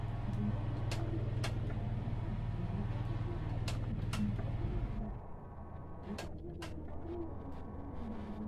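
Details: 2022 Honda Beat Deluxe fuel injection, key-on fuel pump prime just after replacing the pump motor, fitted because of a coarse, loud humming; a coarse buzzing hum for about five seconds that is still not smooth, possibly trapped air.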